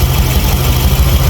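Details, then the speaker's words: Yamaha Aerox 155 bored to 180cc with 63mm piston, custom camshaft, Moto1 valves, freshly rebuilt and breaking in, ECU not reset: deep, choppy, uneven loping idle, no knocks or rattles; fluctuation from the long-duration cam, considered normal. "Oke, putaran idle berfluktuasi karena efek poros bubungan. Jika poros bubungan memiliki durasi yang lebih panjang,"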